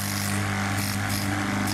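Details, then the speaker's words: Part of a 3000 G gas compressor running with a loud, steady drone and strong low hum, far noisier than it should be, before the noise fix. "जैसा कि आपके सामने gas compressor है 3000 जी तो इसका part है यह आवाज बहुत कर रहा है इतनी आवाज है कि मतलब बदा बाहर"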